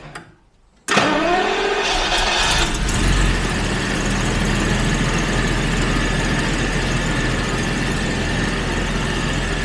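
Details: Jaguar XJ12 V12 cranks briefly, fires cleanly and settles into a steady, even idle while chasing a persistent misfire; fuel pressure checked around 1.9–2.1, owner suspects an earlier faulty gauge reading.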